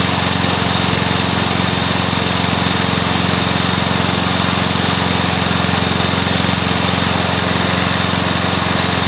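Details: Briggs & Stratton mower engine (believed early 1984), first start after rebuild with new piston, rings and valves for oil consumption (loose rings, worn valves); single cylinder firing evenly and quickly at steady speed, no misses, knocks or rattles; normal running.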